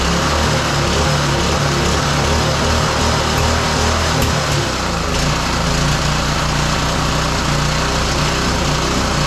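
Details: Roadside-salvaged small single-cylinder lawn mower engine for the Tommy Gun mini bike, on a fresh carburetor, started after choke on then off; it runs loud and fairly steady without dying out, before a spark plug change.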